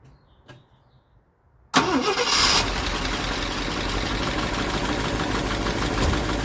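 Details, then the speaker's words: 1965 Ford Thunderbird during rebuild, started cold and idling: engine cranks, catches and settles into an even idle with a light, quick tick over it; tick location unknown, listening down each bank to pin it down. "I mean, starts runs good. Well, except for that tick."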